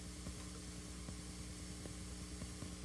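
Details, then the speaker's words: Synthesizer filter module with gain turned up and nothing patched in: faint irregular pops about once a second over low hum and filter hiss; popping noise, cause not found. "hear that kind of popping turn the gain down so just the filter not sure what that is it sounds like I'm filtering noise"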